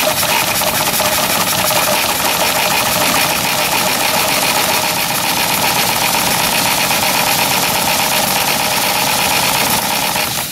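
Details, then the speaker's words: 7-1/2 gauge Clishay live steam logging locomotive (wood or coal fired), first run in a year, in gear with a little throttle and cylinder drain cocks open: fast, even chuffing buried in hard, steady hiss. Normal, regular running. "It's the first time it's been running in a year. I'll close the petcocks on it here. It'll run a lot smoother."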